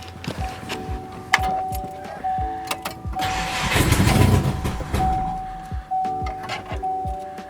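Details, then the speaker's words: Subaru Forester engine just reinstalled after oil separator plate repair, new mounts, oil pan and clutch: starter cranks in steady pulsing rhythm about four beats a second but won't start; possibly no fuel pressure yet, suspected vacuum leak from misinstalled part. "after listening to it again and again sounded like there was more of a vacuum leak than anything"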